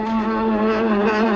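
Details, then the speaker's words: 1986 Chevy 1-ton dually with a 6.2 diesel, abandoned 22 years; interior heater blower motor kicks on with the engine off. Loud, shrill, steady screech with a slight warble: the blower fan motor squeals. "as soon as I plug this filter into this hose the interior fan here just decides to kick on and it sounds like a baby elephant being slaughtered"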